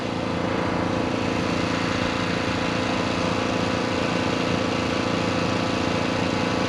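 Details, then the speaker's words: Diesel with injection pump work, wide open throttle: runs three or four seconds, chugging unevenly like missing a cylinder, then dies as if fuel cut; owner suspects pump timing or unchanged fuel filters. "it'll crank up for like three or four seconds i'll show you in a minute it sounds like it's skipping and it's like you just shut the fuel back off"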